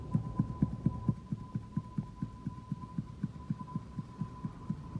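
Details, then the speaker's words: Hyundai Accent rear suspension, wheel rocked to reproduce knock felt on bumps at low speed, right wheel: dull regular knocks about twice a second over faint hum; cause worn rear sway bar bushing, not the replaced rear strut. "а просто вот этим вот втулки видите какой стул и 3 видите какой да да это тоже самый столько был который у нас тут по кочкам едешь медленно удара тык тык тык тык на столе в эту правое колесо"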